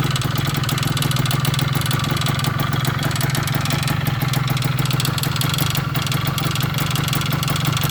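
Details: 1998 Kawasaki KE100 two-stroke, cold start after sitting for days: steady idle burble with a fast, light ticking rattle coming from the cylinder (jug); cause unknown.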